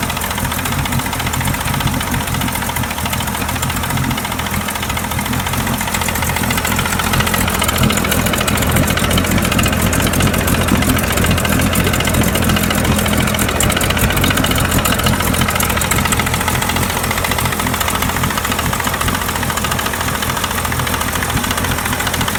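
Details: 1999 Mercury 40 hp marine engine at idle: steady, somewhat uneven knock of about three to four beats a second; owner unsure whether engine or outdrive knock.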